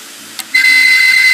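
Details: Seagate Barracuda 1.5TB 7200 RPM hard drive, about two years old, failing and clicking, powered up with its cover removed: a sharp click, then a steady high-pitched whistle or screech with faint ticking.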